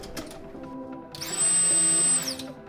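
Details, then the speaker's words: Nissan Z31 300ZX after a fuel system upgrade, ignition on: the newly installed Quantum 340LPH E85 in-tank fuel pump, with a built-in non-return valve, gives a sharp, steady high whine lasting about a second that starts and stops cleanly. Normal pump operation. "Man, that pump sounds crazy. All right, we're good."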